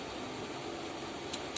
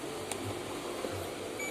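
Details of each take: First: Repaired LG inverter washing machine control board energized at 110 V AC through series bulb protection, red LED steady: two sharp relay clicks a quarter second apart over faint hum; unclear whether normal behaviour. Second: LG inverter front-loading washing machine control board, damaged track repaired with wire: short thin high multimeter beep over room hum, continuity present, track restored.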